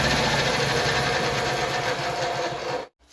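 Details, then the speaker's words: Honda EB3500X generator loaded with a cutoff saw, drawing at least 1500 W: engine holds a steady, even beat with no hunting or surging; running well under load, judged good for at least 3000 W. "This thing, you can tell, takes enough load when you hit the trigger, but it's running both really well, so that tells me that we're getting at least our 3,000 watts out of this little guy here."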